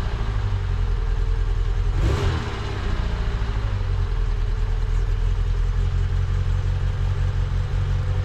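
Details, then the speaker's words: Low-mileage mk1 Fiat Punto after refitting HT leads that had been in the wrong order: steady, even idle with one clean rev blip and no stumbling; engine fires up better. "I definitely know that the HD leads were around the wrong way because now the cars definitely fired up better"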